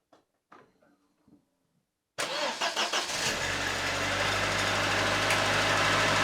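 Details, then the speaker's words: Late-90s Ford Escort 1.6 16V fuel-injected petrol, long parked, cold start; fires instantly and settles straight into a steady, even idle with no misses or knocks, running nicely. "it was just a pistol shot when you started, and it's just running so nicely. It's the magic of the late 90s injection cars."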